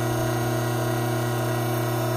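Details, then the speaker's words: Hydraulic pump under normal operating conditions, inlet vacuum 3 inHg and pressure about 310 psi, before any inlet restriction: steady, even hum at constant pitch with no crackle or rattle. No cavitation. "under normal operating conditions this pump has a vacuum of three inches of mercury"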